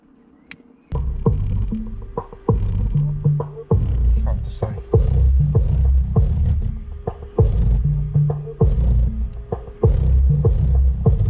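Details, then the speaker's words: Sundown subwoofer (SA12v3 / NSV4 15") under test in a Golf GTI build: deep bass pulses come out buzzy and rattling, one voice coil dead. "Can you hear that rattle? That rattles a dead speaker. Yep. With dead coil."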